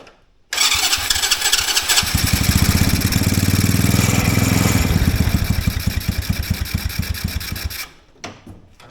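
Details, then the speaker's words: Mini Willys-style Jeep, just started with choke off: slow, uneven putter about four beats a second that sags and fades; idle too low, not enough fuel, idle screw being turned in. "H appears we're not getting enough gas to idle I'm just on that throttle a little bit I'm going to back off of it [Music] yeah that idle is too low"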